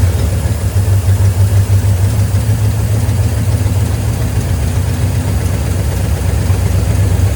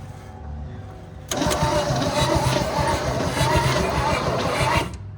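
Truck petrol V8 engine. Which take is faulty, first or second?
second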